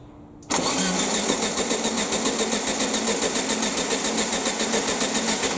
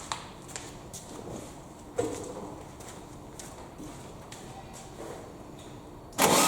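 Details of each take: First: Air-cooled VW Baja Bug parked 20 years, fed from new hose and fuel canister, not the tank: steady starter cranking about three to four beats a second, never catches; fuel present, no spark found, plugs to be replaced. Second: Air-cooled VW Baja Bug parked for 20 years, first start after new spark plugs and HT lead work: quiet clicks, then the engine fires and settles into a steady, even idle that keeps running.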